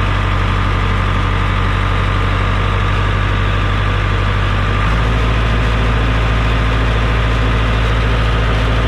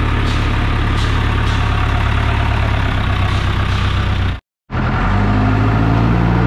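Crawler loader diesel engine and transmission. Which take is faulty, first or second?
first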